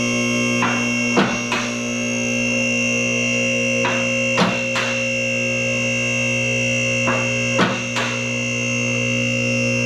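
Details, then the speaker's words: BendPak 2-post lift raising a van: over the steady pump hum, the lock clicks come in split pairs every few seconds. After use the cables have loosened again, so the posts are out of timing on the stops and the cables need adjusting. "I need to adjust my cables a little bit more again. They're now that I've been using it a little bit, they're back out. It's a little bit out of timing again on hitting the stops."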